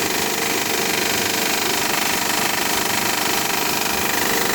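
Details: Honda Pilot cold start: fast, even metallic rattle about three beats a second over idle, lasting about ten minutes after first start, then runs perfectly all day; cause unknown. Cold-start engine rattle.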